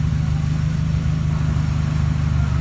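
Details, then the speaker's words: 1989 Nissan 240SX with a new glasspack exhaust, on the lift idling in first gear with the wheels turning; a steady, even low drone with no whine or clunk from the rear end: normal differential in first gear. "it's in first and rolling just idling and it's not making any noises"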